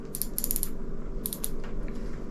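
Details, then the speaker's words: Abu Garcia Pro Max baitcasting reel reassembly, star drag threaded on while holding the level wind; short bursts of crisp light clicks as it engages the click washer; normal drag click. "And you can hear it engage with the click washer."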